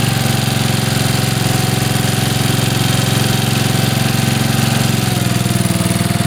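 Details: Mower, cold first start of spring on choke: small single runs with a steady even putter at idle, no misses or knocks. Normal idle.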